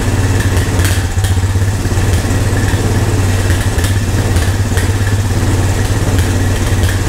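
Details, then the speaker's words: Old Honda three-wheeler/ATV revived with only fuel after sitting. Steady single-cylinder thump at low even idle, faint tappet ticking on top, runs smoothly; normal idle, owner thinks idle a little too low. "that's good that's promising thank you I think my idol maybe sit a little too low"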